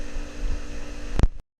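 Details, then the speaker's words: Swimming pool filter pump after spring opening, filter backwashed and returned to filtration: steady low hum, no whistling or popping anymore, pressure back to normal about 16, then click and silence. "I back wash the filter and turn it back into pool filtration condition that noise has stopped popping sound anymore"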